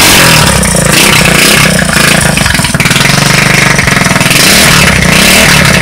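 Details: Street-legal go-kart engine, first start after sitting 5 years, with a new carburetor and a temporary push-mower fuel tank: rasping through repeated throttle blips, picking up and dropping back cleanly; normal running.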